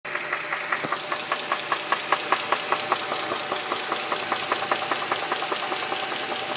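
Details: 2007 Dodge Charger 2.7 knocks sharply and fairly evenly about 2.5 times a second at idle after running out of oil on the interstate; new lash adjusters, an engine clean-out, plugs and valve cover gaskets didn't fix it.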